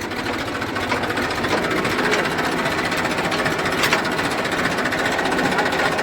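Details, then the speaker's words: Massey 1035 tractor, single clutch, diesel: harsh, steady gear rattle and grinding when reverse gear is engaged; gearbox problem, worn reverse gears chattering, before the gearbox is opened. "ये देखिए, मैं आपको आवाज़ सुनाता हूँ। ये reverse gear डालने पे इसमें आवाज़ आ रही है।"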